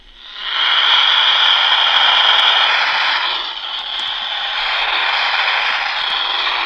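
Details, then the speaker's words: AM radio held near a cell phone with no screen to show whether it is turning on or off: a hissing, crackly buzz rises and holds for several seconds, interference that confirms the phone is powering on. "we know from this that the uh the cell phone is turning on right because it's it's making a noise definitely it's coming from the cell phone"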